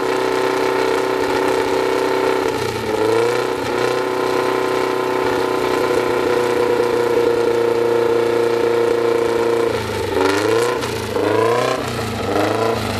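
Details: Freshly assembled 2054 engine, air-cooled, on its first start after nearly a year of building, carbureted. A steady 1200 rpm fast idle with a couple of brief blips, even firing and a faint gear whir; the idle is kept high for break-in. Normal.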